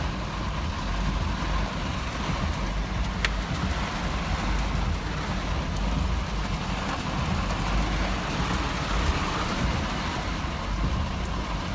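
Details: 1985 Mercedes 190E petrol engine idling roughly with an uneven, lumpy low rumble that never settles; clips recorded cold after sitting overnight and then hot.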